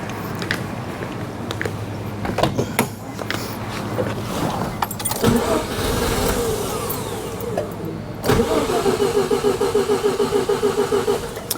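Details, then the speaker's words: 1988 Mazda RX-7 rotary, long-stored non-starter; fuel pump only runs while cranking: steady starter cranking in repeated bursts, about three turns a second, never catching; cranks but will not start. "Okay. So, the thing does not the fuel pump does not come on until it's actually cranking."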